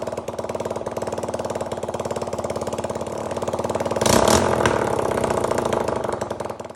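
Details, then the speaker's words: 1985 Honda XL250R RFVC single, abandoned for years, after valve clearance check (low compression, suspected leaking intake valves); crisp even idle thump, brief clean rev, settles smoothly, no smoke, sounds healthy. "yeah that sounds pretty good um doesn't smoke"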